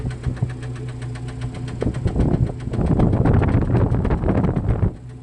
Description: Так "стукає"4-х циліндровий бензиновий двигун 2.5 л Cherokee XJ (рестайл) з відломаною "юбкою" поршня в другому циліндрі.